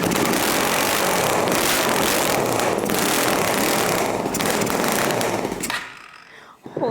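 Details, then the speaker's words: 50 HP Power Wheels F150 on first start with a custom exhaust pipe not yet welded to the muffler; very loud, harsh rapid popping roar that then drops away; exhaust blasting out the muffler's front, unsealed inlet joint. "The exhaust pipe isn't welded to the muffler, so all the sound is just hitting and just blasting out the front of the muffler instead of going through it."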